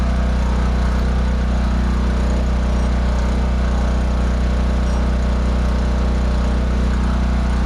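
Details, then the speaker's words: Generator running with a new elbow fitted on thin-wall 3/4" conduit exhaust: steady low drone with faint even buzz; the squared-off elbow touches the top of the enclosure, vibrating the whole door; muffler around 415 degrees. "That damn elbow, because it's squared off like that, is actually touching the top of this thing here. So it's making a little more noise vibrating the whole damn door there."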